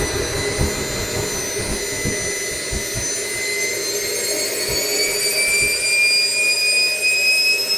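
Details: SWIWIN SW220B micro turbine on a test stand, test run three: smooth high whine climbing cleanly as throttle comes up, 3.5 s acceleration to a set max of 110,000 rpm, about 45.5 lb thrust, pump auto-calibrating; normal turbine run.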